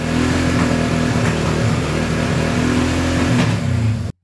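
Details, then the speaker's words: ATV/motorcycle carburetted engine running rough: revving with sharp pops from the exhaust, which may also occur at idle; caused by a lean mixture, tested by choking the carb; exhaust popping on throttle from lean mixture. "Your engine's running rough and it's popping. It might pop at idle like this. It might pop when you give it throttle."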